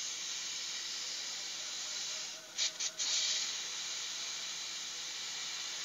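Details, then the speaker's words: Chest freezer cooling only at top, previously flushed with gasoline, condenser replaced: cutting the line gives a thin, steady, soft hiss lacking pressure; charge mostly leaked away, leak confirmed, location unknown (welds or service valve). "Kalau dari sisi freon Anda saksikan sendiri. Jadi ini habis ini. Ini bisa dipastikan ini bocor ini."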